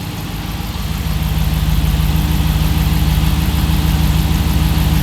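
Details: Hemi-swapped Jeep at steady idle after power steering pump replacement and a custom-built power steering line; even hum with a smooth regular pulse and no whine or groan from the pump; sounds healthy.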